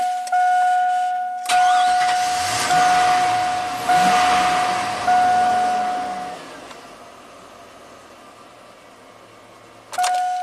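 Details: 2000 (or 2003) GMC Sierra 1500 5.3 LS V8 with an intermittent crank no-start. Gas pedal pressed slightly while cranking: about five short starter bursts with pauses, but the engine never catches. Ignition or injector pulse loss suspected, unconfirmed.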